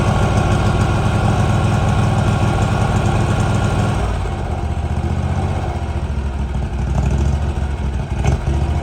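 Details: 2018 Hustler Raptor SD 54-inch mower, Kawasaki FR691V V-twin, after head gasket and valve seal replacement, shroud off, started with choke. Warm engine settles from fast idle to steady even low thump, no misses, knocks or rattles; spilled oil burning off. Normal idle.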